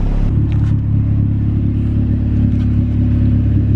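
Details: B18C1 turbo Honda CR-V with custom exhaust, warming up, Y-pipe not connected. Deep, steady, smooth engine rumble; mechanical noise is louder than the quiet muffler, nothing abnormal. Normal running.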